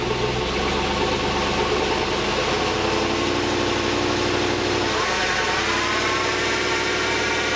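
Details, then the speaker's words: GMT800 Chevy Tahoe on lifts, engine idling in drive: rising tonal whine from the rear end that shifts pitch partway through. Rear diff fluid was checked with no visible metal. A bearing or pinion is suspected, not confirmed. "I'm going to go start her up put her in drive and you can hear the noise you'll you'll be able to hear it pretty"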